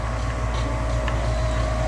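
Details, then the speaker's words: Newer gas furnace inducer motor, dusty basement: heavy rough rumble with steady whine like an old car starting, heard two floors up; noisy inducer motor due for replacement. "for some reason it's still around but it sounded like a a 30 year old car starting up"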